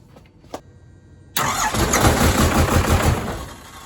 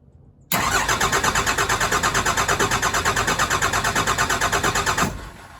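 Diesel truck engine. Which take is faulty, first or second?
second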